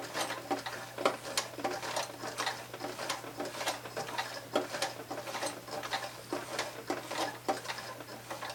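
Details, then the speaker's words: White 999 sewing machine, probably over 40 years old, after more cleaning and oiling: light, quick needle ticking at about two stitches a second over a faint mains hum, no scraping. The earlier noise and catchy hand wheel are gone; normal sewing. "all right so after more extensive cleaning and oiling uh the weird noise slash catchy feeling in the hand wheel is gone"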